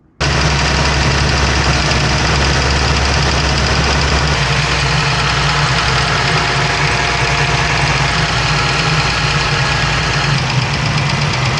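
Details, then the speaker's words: 2017 Dodge Ram 1500 3.6 L V6 at idle with light quick ticking from the top of the engine; a failed roller follower with the rollers damaged, plus a worn cam lobe. "then chances are you have a bad roller follower. And very common in these 3.6 engines, the little rollers get boogered up and then it starts ticking or tapping."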